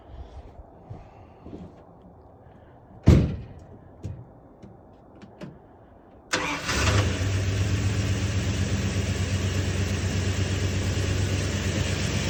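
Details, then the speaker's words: 1967 Barracuda after ultrasonic cleaning and carburetor rebuild, on temporary gas supply, probably sat about 20 years: handling clunks, quick crank, fires right up and settles into steady even idle; sounds pretty good. "Firing right up? Right up. Pretty good, eh? Yeah, man. Right on. That sounds pretty good."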